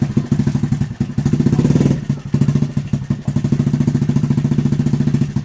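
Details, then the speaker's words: Honda Revo Absolute motorcycle after clutch repair for jumping when put in gear and rough noise on clutch/gear lever: even regular exhaust pulses, one brief rev and clean drop back, rough sound gone; normal running. "It is normal and also for the gear section, we press it. also the sound has disappeared from the rough sound like in the first video, friends"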